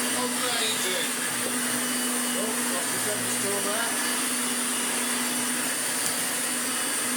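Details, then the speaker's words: Restored Hoover Turbomaster Electronic upright vacuum on carpet, switched to brushroll at setting one after new motor and brushroll bearings and full clean; steady high motor whir with even brush rumble, no rattles or pitch dips; healthy brushroll running, pulls itself forward. "now we put it back to brushroll and put it into number one and then we'll turn it on it rips the carpet like that itself forward"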